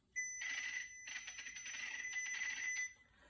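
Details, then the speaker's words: PianoDisc system: shrill steady squeal with harsh crackly chirping as the piano's control data plays through the iPad speakers instead of the piano's speakers; fixed via the iPad's Bluetooth settings. "that's the data playing on the system going through the ipad speakers instead of through the speakers on the piano"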